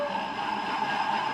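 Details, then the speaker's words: Honda Vario 110 carburetor model (2012–2013) with the rough-running engine removed, CVT weight-roller pulley bearing turned by hand up close: a rough gritty grinding hiss with a faint wavering whine; worn CVT pulley bearing. "Kita buktikan dulu posisi seperti ini kita putar sajaah suaranya kemruak seperti itu ya gini biar aman biar suaranya jelas tak dekatkan Nah tak dekatkan lagi ya Ini suara laker"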